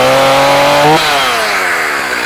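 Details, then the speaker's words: STIHL MS290 chainsaw with an 18-inch bar and chain: a crisp, steady two-stroke idle that holds its pitch, then winds down smoothly at shutoff. A healthy, easy-starting saw. "We're in idle mode right now."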